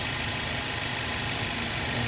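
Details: 2015 Holden Astra 1.6 idling with a steady airy hiss and whistle, rough idle and high short- and long-term fuel trims; vacuum leak at the PCV valve, integrated in the valve cover assembly, requiring replacement.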